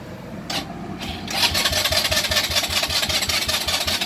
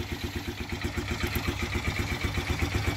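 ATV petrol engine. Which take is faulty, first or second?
first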